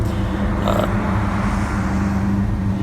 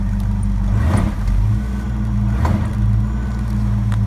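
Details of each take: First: 1970 Ford LTD, warm, after throttle dashpot replacement, with low idle when cold: steady, smooth idle sitting a little fast, even hum with no stumble; idle speed slightly high. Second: 1970 Ford LTD after throttle dashpot replacement, dashpot still incorrectly set: deep steady drone bogging slightly under load, shifted into reverse against the foot brake while the gas is goosed; it never stumbles, stalls or dies, so the engine is healthy.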